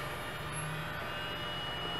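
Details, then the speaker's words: 24-year-old IBM Ultrastar 10,000 RPM SCSI hard drive powering up: steady high whine with faint ticks, a long, drawn-out but smooth spin-up; drive healthy. "oh that's glorious oh there it goes that is the most drawn out startup or spin-up I have ever heard that is glorious"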